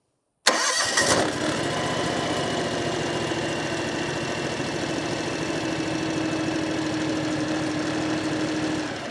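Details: 2018 John Deere X739 lawn tractor after fuel filter change and priming: quick catch on cranking, then steady, even small-engine idle with no misses or knocks; starts and runs normally.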